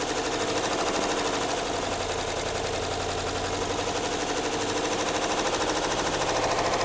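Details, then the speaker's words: 2013 Jeep Grand Cherokee 5.7 V8, about 160,000 miles, held at about 1500 rpm: dense rapid metallic clatter continuing at higher speed; top end not bottom end, suspected internal damage from overheating, unconfirmed. "Doesn't sound like it's bottom end. Sounds like it's all up in the top end."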